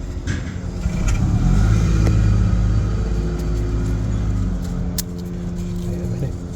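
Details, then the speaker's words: 1979 Cadillac Seville fuel injection, new-old-stock genuine AC Delco GM in-tank fuel pump bench-tested by direct wiring before installation: steady low even hum, spins smoothly without rattle or stutter; normal fuel pump running. "That's working, that's turning, but I don't want to run it too long with that fuel in it because that'll burn the pump out."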